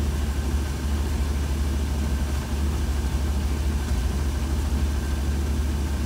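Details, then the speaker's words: 1966 Cadillac with a Holley Sniper throttle body injection that hunts at idle, here with the IAC unplugged; even, deep, low rumble at a steady pace with no hunting or dips; a rock-solid idle. "perfect perfect rock-solid idol"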